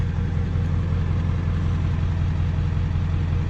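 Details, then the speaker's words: 7.3 diesel truck at 294k miles, tuned, idling just after an oil change: smooth, even low diesel clatter of about two to three beats a second, no ticks or knocks; owner says it always quiets down after an oil change. Normal idle. "she sounds good it always quiets down after an oil change it's nice nice"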